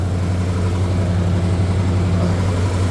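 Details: 1977 Ford F-150 idling, failed voltage regulator suspected; voltmeter shows 14 volts charging: steady, even low hum with no misses, knocks or ticks; smooth, healthy idle.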